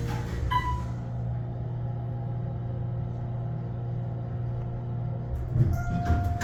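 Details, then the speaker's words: Otis Series 4 hydraulic elevator, left car, floors 1–5: steady low pump-motor hum for about 10 seconds before the car moves; abnormally slow startup, with bouncy starts and stops. "that was was the longest startup I've ever heard these things don't make all kinds of noises do they"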